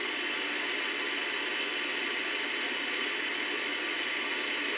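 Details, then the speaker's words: 1964 Sony 9-304U portable TV after the bad detector diode was replaced: a plain, even static hiss with no squeal, motorboating or horizontal squealing; normal now. "ooh no more squealing no more motor boating no more wow do we have static we"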